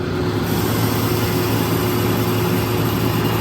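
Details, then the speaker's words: Used Rapid 4000 A 9 V air-cooled rectifier, 230 V three-phase, 45 kW, remote control, tested: steady low hum under an even rush of cooling-fan air, no rattles or surging. Normal running. "Unit has been tested, is in good working condition."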